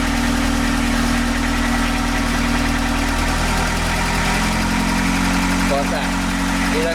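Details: Narrowboat's old London taxi diesel engine just after repair and fuel-system bleeding: even, steady idle with a low, regular chug and no knocks or misses; normal idle.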